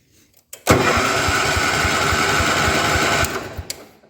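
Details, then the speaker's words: 1972 John Deere 110, barn-stored for years: cranks evenly, about two compression pulses a second, never fires; spark confirmed but no gas in the tank. "she has spark so fuel system should be decent since there's no gas in the tank"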